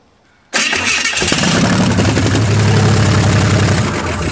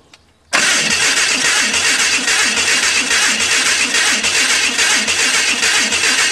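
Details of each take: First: Hudson rat rod with headers, first start after gapping new spark plugs and adjusting the distributor, running on a little gas in the carburetor. Fires instantly into a strong, even, deep run with no misses: normal start and run. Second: Hudson rat rod with the distributor twisted too far, ignition over-advanced: loud, labored cranking at three to four strokes a second that never catches, backfiring through the carburetor.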